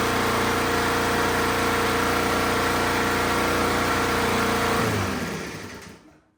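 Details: Fairly new-looking lawn mower with a good pull cord that had no fire, smoked a lot and was possibly flooded; starting fluid was bought. The small single-cylinder engine pops along at a steady, fairly even beat, then cuts out; now running normally.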